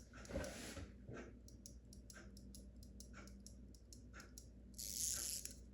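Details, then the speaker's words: In-wall spring-wound mechanical ventilation fan timer, stuck on, opened for repair: light, quick ticking of several clicks a second from the escapement; normal operation, which can continue clicking after returning to the off position. "That's the normal operation of it. And when you put it back to the upward position, this part shuts the electrical off, and sometimes it does continue clicking just like that."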